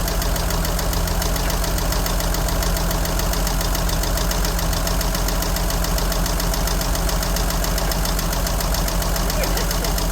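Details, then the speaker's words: 1963 Jeep Gladiator with a possibly drained battery from the key left on, oil unchecked for a while; steady idle with a fast, fairly even light tick about three or four a second; source undetermined. "I'm gonna figure out what that tick is."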